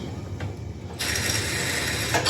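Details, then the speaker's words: 1971 Ford LGT 100 lawn tractor, start attempt during restoration: wiring now works but the starter won't crank, only sharp clicks and a brief whir; solenoid rattling, possibly battery too weak. "That means our wiring works, but you can hear the starter does not. It's grinding."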